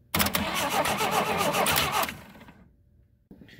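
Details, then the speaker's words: 1960 Rambler American 196 flathead six, sitting since about 1983, cranking with points just filed and the coil wire loose at the distributor. Starter churns evenly with no firing; faint spark, leads need replacing and points need cleaning and adjustment. "so it was pretty faint i got a little bit of a spark coming out of here so i'm definitely gonna need to replace these uh spark leads"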